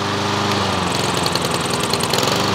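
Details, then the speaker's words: Troy-Bilt TB130 mower with a Honda GCV160 engine converted to manual choke, choke off and at full mowing speed before idling down; high even steady drone, no surging or misfires, normal full-throttle run. "let's lay off now we're at a choke now we're at full mowing speed now can we idle this down now so you know to run"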